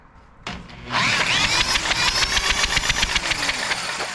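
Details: Abandoned, weathered Troy-Bilt tiller with a 7 hp Kohler single, cranked with a drill: it spins freely with steady chuffing and never fires or catches. There is no spark, and the ignition points look corroded.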